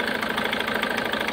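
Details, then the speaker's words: SsangYong Actyon 2.0 diesel (Mercedes engine) with check-engine light and noise, started cold at idle: fast, uneven knock and stumbling beat; misfire found to be the second injector, which shows no return; injectors to be replaced. "de vez em quando a gente vai tentar identificar aqui qual que é a falha geralmente é um dos bico que tá dando essa falha a gente fazer o teste"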